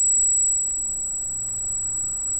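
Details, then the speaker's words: Arris CM2000 brushless gimbal, fresh install, carrying a GoPro Hero with FPV cable: thin, very high, steady whine over a quiet room, loud constant singing from the gimbal motors. "as you can hear the wine is everything that everybody has been saying that it is it's very very loud and whiny"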